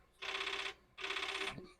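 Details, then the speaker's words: Commodore 4040 dual disk drive, found dirty in a basement, makes repeated half-second bursts of harsh head-banging chatter with short pauses while reading; disk status later reports a read error. "It's banging, but it's different."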